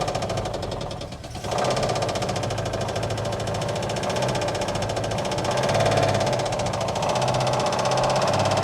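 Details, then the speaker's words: 1959 Oldsmobile 98 coupe, first start, fed from a gas can: rough, uneven running with a steady knock about three times a second over the idle, manifold smoking from spilled power steering fluid; likely dry or worn bottom end. Cause suspected, not confirmed. "i mean it's not liking that at all"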